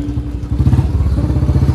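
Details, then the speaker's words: Royal Enfield Standard 350 (Bullet) with free-flow bend pipe, after fitting a gasket ring at the bend pipe joint: deep, even single-cylinder thump, louder, no popping or hiss on throttle release; exhaust/air leak fixed, normal exhaust note. "भाई आवाज में तो फर्क आ गया इसकी आवाज और ज्यादा लाउड हो गई है पहले आवाज जब मैं रेस रिलीज कर रहा था ना तो पहले आवाज बग भग कर रही थी इसकी अब नहीं कर रही"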